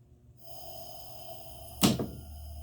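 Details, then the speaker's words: Lockout relay contacts jumpered out on an HVAC cooling control circuit and low pressure created: faint hum, then a sharp metallic bang and brief rattle as the compressor contactor slams in and drops, short cycling on the low-pressure switch. "okay so we offer low pressure back up again that's your compressor banging off and on guys"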